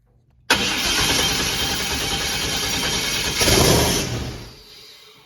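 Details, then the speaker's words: Trans Am engine first start with no fuel tank or coolant, run only briefly; catches instantly, steady muted run, short rev blip, then dies cleanly; normal start and brief rev. "Well, I got her all sealed back up, but at least there's the sign of life. I didn't want to run it very long. I don't have no coolant or anything, but just so I could hear it, maybe get some motivation."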